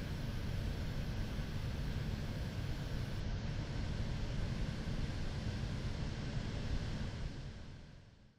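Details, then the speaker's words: Zotac GTX 980 Ti AMP! Extreme graphics card at full load playing Witcher 3, fans on automatic, other computer parts running: steady even fan rush, no audible coil whine. "finally this is running at full load with fans on automatic while playing Witcher"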